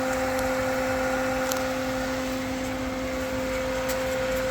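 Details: Pentair Clean and Clear CC150 pool filter, 7 years old, running after installing an aftermarket replacement top: steady even hum with constant tone and smooth water rush, no gurgle or surging; no leaks from locking ring, gauge or relief valve, air bled out, normal running.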